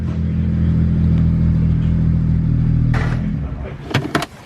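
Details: BMW 1M turbo petrol with OEM downpipes refitted: a smooth, even rise and fall in a deep, steady drone that tapers off cleanly, with no rasp or flutter. A healthy, more linear rev.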